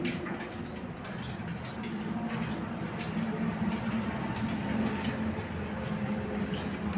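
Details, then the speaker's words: LG front-load washing machine after display-fault repair, in wash mode with the motor turning the drum left and right. Low steady motor hum with an even churn and no grinding or knocking. Normal wash rotation. "இப்போ பாருங்கள், motor வந்து left right சுற்றும். வாஷுக்கு போவோம்."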